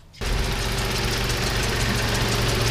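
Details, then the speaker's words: 1988 Toyota 4Runner with a 3VZ-E 3.0 V6 after the idle air control valve hole was taped over to fix the high idle: the engine catches and settles into a much lower, steady idle, adjustable down to about 800 rpm. "idling so much lower [Music] i noticed that the idle adjustment screw actually makes a difference now as well"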